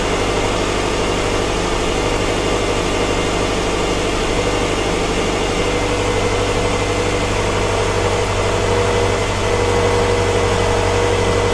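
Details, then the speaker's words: 2007 Subaru Forester, brought in for intermittent rough running and a check engine light, idling after a fuel-rail O-ring concern: smooth, even idle with a steady low hum, no stumbles or misses and no fuel leaks; normal idle. "So I've run the car for a little bit, and it runs great. No leaks whatsoever."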